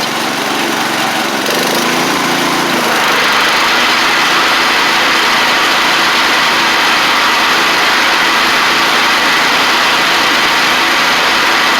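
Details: 1985 Wheel Horse 312-8 garden tractor single-cylinder engine after revival with a cheap aftermarket carburetor, new fuel pump, fuel line and filter: steady, even idle, no misses or surging; runs cleanly.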